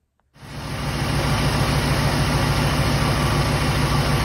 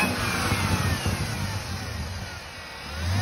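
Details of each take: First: LT4 supercharged V8 at idle after supercharger hubs, coupler and bad bearings were rebuilt: deep steady loping rumble, the earlier whiny noise gone. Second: 2018 Chevrolet Camaro ZL1 6.2 L LT4 supercharger before rebuild; thin whine rising with revs like a bad power steering pump, from failed pulley-side bearings and coupler in the supercharger.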